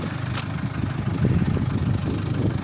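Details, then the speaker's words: 2016 Jaguar F-Pace 2.0 diesel 204DTD idling after timing chain replacement for P0341-92, no codes since: steady, smooth idle with no knock; one glow plug out, so slightly jittery at start-up, but better than ever. "So, I got a glow plug out. So, that's why it's a little bit jittery when it starts up, but it sounds way better than it ever did before."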